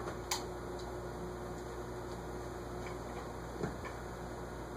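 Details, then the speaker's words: Vintage SMC model A52 ceiling fan tested before oiling, running on high through its solid state control: steady low electrical buzz under a faint hum with an odd light tick; cause unclear, bearings or control suspected. "It's just, something's, okay, well, solid state control is on high. I did not realize that, but you sure could hear that buzz."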